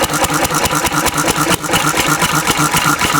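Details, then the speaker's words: Antique Cushman Cub 3hp four-stroke stationary engine on about 90% Zippo lighter fluid: single-cylinder thumping at a steady fast beat with a rough, loaded edge, backfire and black smoke; running rich, close to flooding, needs less fuel than gasoline. "backfire more black smoke this stuff is thinner so it definitely needs less of this than gasoline"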